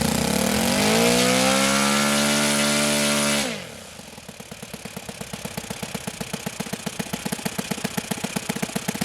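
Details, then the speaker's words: OS FS-91 Surpass four-stroke nitro RC airplane engine idling after being richened to cool off when hot and knocking, then high-end needle leaned back out once cooled: revs high, drops, settles into an even popping idle; proper four-stroke idle. "that's the sound of a proper four stroke idle and here i had to lean it back out once everything got cooled back off"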